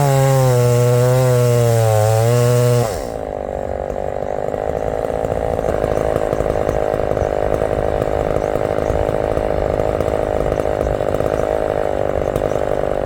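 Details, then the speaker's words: Big heavy chainsaw at full throttle in hardwood: a high, clean scream, then it digs in and holds a strong, steady pull without bogging. Normal operation under load, praised for its power and throttle response. "when I'm feeling strong you know the power this thing has and the throttle response when it's in the wood boy that's tough to beat it really is"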